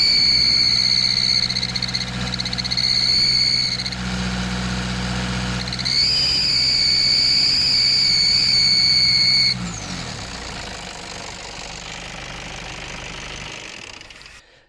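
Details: Nissan Patrol ZD30 diesel, parked or under load while accelerating: piercing, extremely loud whistle-squeal rising and falling with revs; exhaust manifold leak found as the cause.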